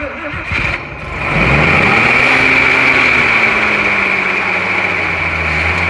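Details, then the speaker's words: 1941 Chevy with an incomplete carburetor, apparently running on primed fuel: a quick crank, then an uneven idle that slowly sags; owner thinks a carburetor kit would get it running. "yeah we had the rest of the carburetor that thing this thing would run um we might try to get a carburetor kit another day and put this thing back together because i think it'll run"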